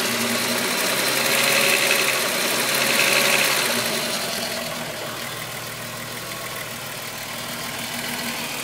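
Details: VW Golf VR6 2.9, 103,000 km, idle: busy metallic rattle about four beats a second, loudest early on. Chain-rub noise grew louder after the upper hydraulic tensioner screw was replaced; chain suspected, unconfirmed.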